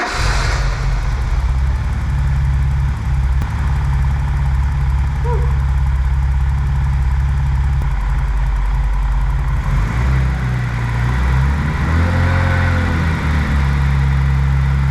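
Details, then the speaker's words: E28 BMW M5 after engine rebuild, run-up after filling coolant: deep, even idle with no knocks or misses, briefly blipped near the end, running absolutely sweet; normal idle. "well it's all been worth it no problems running absolutely sweet"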